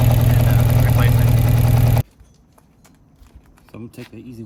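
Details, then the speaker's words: 1992 Yamaha XJ600 Seca II after carb work: uneven, lumpy idle of about three pulses a second before cutting off, with cylinder two suspected of missing; its spark plug is caked up and a very weak spark is suspected. "The uh the plug onto is all caked up. So, I may have just a really really weak spark."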